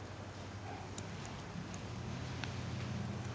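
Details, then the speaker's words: Barudan embroidery machine, Z head: after the thread guide finger is replaced and its two screws tightened, crisp single clicks over a low steady hum as the finger snaps cleanly back into position with very slight play. Normal. "Mon doigt conducteur revient bien, on entend, il claque. Et j'ai un très léger jeu."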